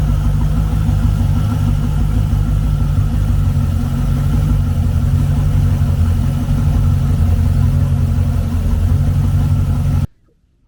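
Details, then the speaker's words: 1999 Ski Nautique with 5.8L GT40 marine V8 idling right after a new alternator belt was fitted, belt still overtight before final tensioning. Steady, even low rumble, no knocks or belt squeal. Normal idle. "And now, yes, the belt is super tight here, but we're going to go ahead and start it up, and then we'll actually set the tension after it's kind of set back in place."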